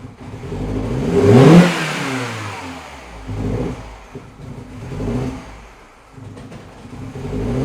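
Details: Mini Cooper R56, cold engine, misfires and shakes when cold until about a mile or two: on throttle blips it revs up unevenly, stumbling and sputtering, nearly stalling; cold start misfire on throttle blips.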